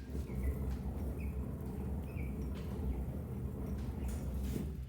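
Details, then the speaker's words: Trailer wheel spun by hand before bearing replacement: coarse gritty rumble like a handful of gravel tumbling inside the hub; worn wheel bearings. "so you can hear it sounds like someone threw a handful of gravel in there"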